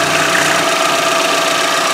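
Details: 2013 Chevy Equinox 2.4L four-cylinder idling after a PCV upgrade (PCV valve on modified cap, line to manifold) to prevent rear main seal failure: even, steady light mechanical hum with faint whistle, no stumbling; normal, very smooth idle.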